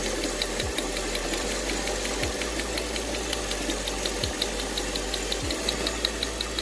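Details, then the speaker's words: 2008 Mercedes CLS500 V8 with two plugs per cylinder, running poorly with a P0300 and cylinder 1 misfire. Spark test on the new coil gives sharp, even snapping ticks over a steady idle; the coil works, the old one was bad. "As you guys can see, this coil is definitely working. The old one was no good."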